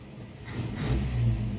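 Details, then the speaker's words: Toyota Kijang 7K engine after carburetor cleaning, previously stalling at idle: low, even rumble that swells as revs rise and holds without stumbling or dying; now runs normally, idle set too high. "Nah teman-teman, mesin sudah kembali normal. Ini sudah tidak mati-mati."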